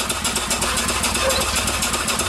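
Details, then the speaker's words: Upright steam engine, repaired after sitting for years, running at 25 psi driving a sharpening stone; quick even slapping about eight beats a second over the drive, from two different belts with a twist hitting each other. "you can hear a little bit of a noise i got two different belts on here and i got a twist so you're hearing the belt hit each other"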